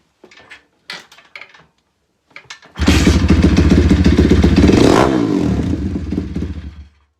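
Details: Pitbike/Honda C70-style single test-fired after oil change (about 600 ml) and air filter reassembly: fires quickly after a few clicks, holds a steady even idle with no knocks or rattles, shuts off cleanly; normal start and idle.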